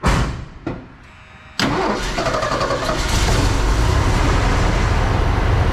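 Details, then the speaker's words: 1979 Ford F100, 300 straight six with Holley 390 four-barrel carb and Hedman headers, parked since 1992. Cold start the day after a 15-minute header burn-off run. Short crank, catches after a pause, then a fast, even idle on choke with no misses; running nicely. "This seems to be running pretty nice right now. Idle's high because it's choked. I'm gonna let it warm up."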